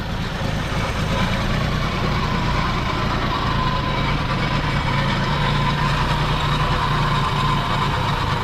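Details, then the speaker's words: 42-year-old Army Jeep, unstarted since 2009, fuel pump and carburetor reconnected with gas poured in carb; first start, steady even low rumble idling cleanly on its own with no misses, knocks or hunting, "purring by itself"; coolant and fluids still needed. "itself i might say it's purring by itself"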